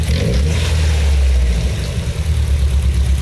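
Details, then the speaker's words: Nissan Silvia S14 SR20DET after fitting repaired Garrett T28 ball-bearing turbo, new plugs and coils: deep uneven note that stumbles under throttle; misfire as the plugs foul with oil, oil coating worst on cylinder 2. "Oh, kalau digas kayak gini, si businya mati sama oli, pincangnya makin parah. Kedengeran kan? Jadi si businya tuh selalu kotor sama oli."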